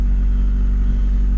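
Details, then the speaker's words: 1990 Honda Civic idling just after the alternator was removed, store-tested and refitted: a steady, smooth low hum with the earlier alternator whine gone, a healthy idle before warm-up and a battery voltage check. "it sounds good sweet and no more whining from the alternator so I'll let this thing warm up and I'll check the battery voltage"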